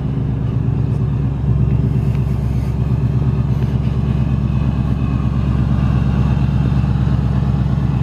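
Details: 2018–2019 Ford Mustang GT Coyote V8 at idle: fast, regular light ticking and rattle of about three a second; the tick came back louder in the last two weeks, and the owner says it is not the direct injection. Cause unknown.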